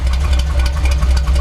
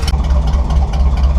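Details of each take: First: Chevy C10 truck V8, idle while adjusting distributor timing: deep, even but soft lazy beat with little crispness and slower throttle response; timing set too retarded, estimated around 8–10 degrees after being 12–14. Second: Chevy C10 truck V8, after tuning motor and carb: deep steady lopey burble with even rhythm, no knocks or misses; healthy idle that sounds pretty good.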